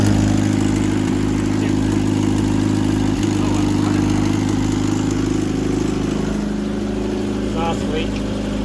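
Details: Petrol engine with Rochester carburetor, first start after sitting about a year, on choke: loud, rough idle with a fast ticking puff under the engine note; exhaust leak and poor running from a faulty carburetor.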